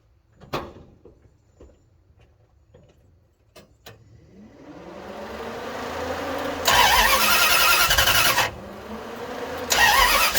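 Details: Budget-rebuilt Dodge 318 V8 reinstalled, warm at 175–180°F with 60 psi oil pressure: after a few clicks the starter cranks, engine catches, revs and settles into a steady, even idle; healthy start.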